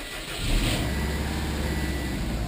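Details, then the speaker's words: 2006 Subaru Impreza WRX after a fuel filter replacement, key cycled to prime the fuel pump: the engine catches within a second and settles into a steady idle with no stumble or misfire. It is a clean start, with no check engine light and no leaks. "okay so whenever you turn the key to on without starting the fuel pump builds up pressure to the engine you can actually hear that a little bit"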